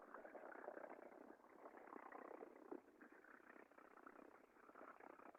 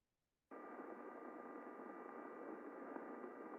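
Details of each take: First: Industrial chain drive heard via airborne ultrasound sensor near the cogs: rough scratchy hiss with rapid irregular crackle and odd squeaks; chain found worn and slightly misaligned, sounded normal after fixing. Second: First chain of a multi-chain drive, heard with an airborne ultrasound sensor held close to the sprockets. A very quiet, steady, even hiss with a smooth waveform and no sign of under-lubrication: normal chain running.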